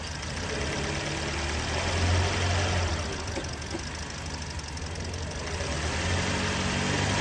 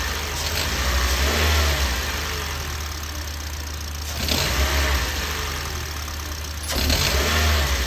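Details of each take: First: Toyota Yaris engine at an even, steady idle with a soft regular pulse about four per second, no squeal or rattle; healthy, in a drive belt tensioner diagnosis and replacement. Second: Toyota Yaris engine blipped four times from idle, each rev rising then falling, with a hiss and light rattle on the revs; accessory-drive noise, drive belt tensioner suspected and replaced.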